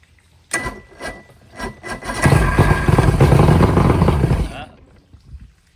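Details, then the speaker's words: Outboard from a sunk boat, plugs back in, WD-40 put in the carbs: several cranking puffs, then it catches for about two seconds, stumbles and quits. The gas tank fuel is mostly water. "Getting a little something going. Yeah, gotta be some bad fuel for sure."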